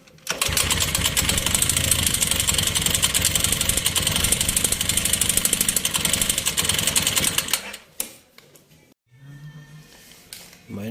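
Single-cylinder motorcycle running with a sharp, steady metallic knock about three to four times a second.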